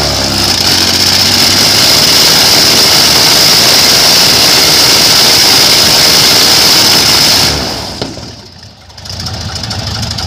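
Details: Airboat engine after a fuel filter change, throttle eased in slowly: loud, steady roar with a high whine falling smoothly as the throttle eases, no stumbling; running cleanly, with a flame on lift-off.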